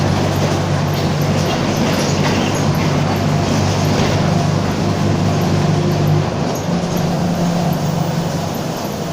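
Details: Torino 2007 bus on an OF-1722M chassis, city line 314, recorded 2018 while cruising; a low steady growl runs under the driveline noise; growling rear differential.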